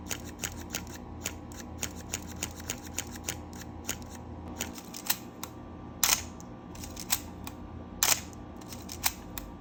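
Repeated crisp shutter clicks, each trailed by a thin raspy squeak in a quiet room; the classic dry A-series shutter squeal.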